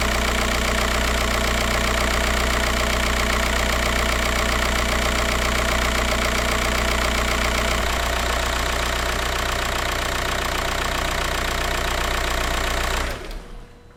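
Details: 2004 VW Jetta TDI BEW diesel after fuel filter replacement and priming, following a weak lift pump: steady idle clatter with an even ticking rhythm, no stumbling, then shut off near the end.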